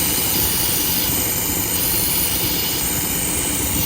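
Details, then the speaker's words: 2016 Buick Cascada 1.6-litre turbo at idle with a P0171 bank 1 lean code: a steady, airy hiss of a vacuum leak from the failed PCV valve, which is built into the valve cover; the fix is a new valve cover. "Has a P0171 lean code, and found out that the PCV valve inside here is bad. It's fucking vacuum."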